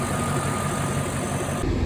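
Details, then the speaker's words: Mercedes E420 V8 idling while warming up after a valve-noise treatment: steady, even low rumble with no misses or stumbles; idles dead even, possibly the best idle since ownership. "I'm still letting it just idle and warm up uh it it idles just like it did the other day it's Idol's dead even"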